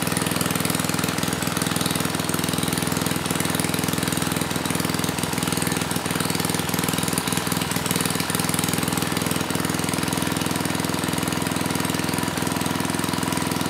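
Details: Mid-1980s Troy-Bilt Junior tiller, 3 hp Tecumseh HS35 engine (H35-45593R), after carburetor cleaning; pilot needle tuned, idle lowered to about 1,000 RPM. Steady, even low putter about three beats a second, no misses or hunting; normal idle.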